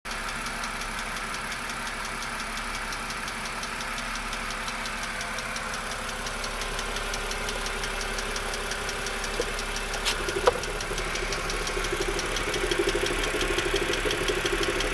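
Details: 2007 BMW E60 LCI with N52K petrol engine idling on Shell 5W40: fast, light, steady ticking from the top end, suspected valve lifter tick; it mostly went away after switching to 0W30/5W30 oil.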